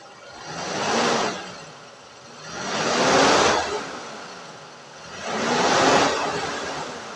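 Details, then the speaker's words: 1993 Toyota Kijang Grand Extra KF40 1.5 carbureted engine revved from low to high rpm: smooth, even swells with no knocking, valve ticking, misfire or stumble; plugs and carburetion normal, healthy engine. "Nah suaranya dari RPM rendah maupun RPM tinggi itu tidak ada masalah Tidak ada kendala dari apya juga oke tidak Ee mrebet tidak pincang juga jadi busi-busi dan E yang lain-lain itu masih normal"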